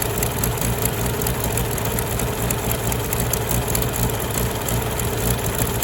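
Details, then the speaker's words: Farmall tractor (1949 H or 1968 656, unclear which), troubled by fuel problems and cutting out; carburetor adjusted after it hadn't run over 30 seconds, coolant was 2.5 gallons low. Steady low rumble, even unbroken firing beat, no misses or knocks; normal idle. "I feel like it runs honestly really well I had to do some carburetor adjustment on that um just because it hasn't really ran over 30 seconds"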